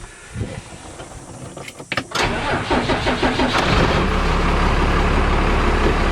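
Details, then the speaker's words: 1972 Dodge Travco motorhome started from inside the cabin after master-cylinder cover and foam soundproofing: about two seconds of cranking, then a steady even idle, quieter, remaining noise entering through the brake pedal hole; normal start and idle. "It's considerably quieter. And any noise that's really coming in, I can hear it coming from probably the brake pedal hole."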